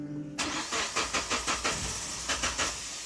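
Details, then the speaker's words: 2008 Suzuki Grand Vitara (injection) converted to LPG, restarted after the gas tap was shut and reopened: about a dozen even cranking turns before it catches; slow start from excess gas flooding. "Ya, ini karena terkadang di bawah tidak ditutup, jadi dia perlu diinikan dulu, perlu dinetralkan dulu ya."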